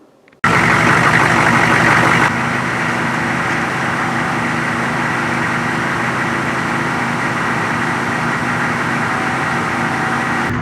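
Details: 1993 GM 6.5 Detroit diesel plow truck idling on a cold day of about minus three degrees Celsius after an oil and fuel filter change, with the temperature gauge slowly rising; a steady, even low clatter with no knocks or misses sounds healthy.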